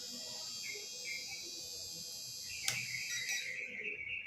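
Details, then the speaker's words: HotRC CT-600 6-channel 2.4 GHz receiver failsafe set to reverse: after transmitter is switched off, small motor spins on its own with thin steady high whine, running reverse; stops when signal returns. "Nah, dia akan otomatis berputar. Ini untuk berjalan mundur ya."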